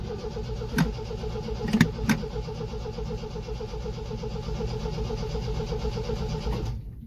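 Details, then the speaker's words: 1974 MGB GT, first start after sitting 7–8 months, fuel pump primed, choke used: starter turns steadily at quick even rate for several seconds but never catches; cranks but no start, cause unknown. "Why are you not firing? As I said, she's a temperamental mistress."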